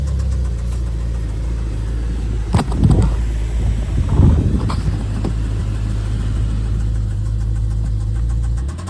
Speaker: we got a S63 V8 twin turbo with rod knock.